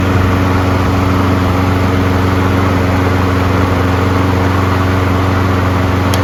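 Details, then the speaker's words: Single-cylinder lawnmower run 3 to 5 minutes on fresh fuel: a steady, even drone at constant speed with no surging or stumbling. It has smoothed itself out and runs smooth. "As you can see, running it for 3 to 5 minutes, smooth itself out because the fresh fuel is flowing through the circuits."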